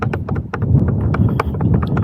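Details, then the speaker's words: Mantis King GT electric scooter after about 500 miles: irregular hollow clunks as the rear is rocked, from gaps in the suspension spacers and bushings; tightening the bolts won't fix the looseness. Suspension bushing play. "There's a looseness to the suspension, right? And you can go through and tighten all these bolts up all you want, and it's not going to get any better."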